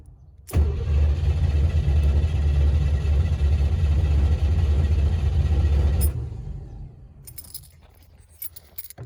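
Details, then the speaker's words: 1955 Chevrolet / Canadian Pontiac with MSD distributor: cranks steadily at about three beats per second and turns over but never fires despite fuel smell; no spark because the distributor's small ground wire was left unconnected. "it's got fuel i can smell it it sounds like magnetic spark what the f no at least it turns over okay figured out what i did what i didn't do was hook up the ground for the distributor the msd"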